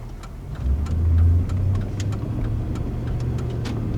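Light, even ticks of the indicator repeat steadily over the engine as it revs and settles; the turn signal flasher is working normally.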